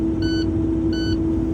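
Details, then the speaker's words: Truck air-brake system at steady diesel idle after start-up, tanks building air: low air pressure warning beeps because there isn't enough air to move the truck; beeping stops once pressure passes 60 PSI, and the truck shouldn't move until 120 PSI. "That's your low air pressure warning alarm. Anytime you start the truck, you hear this noise, this is beeping. That means you don't have enough air to move the truck. That's why it's beeping."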